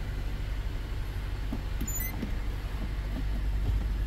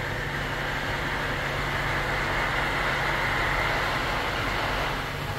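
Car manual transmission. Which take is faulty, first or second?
second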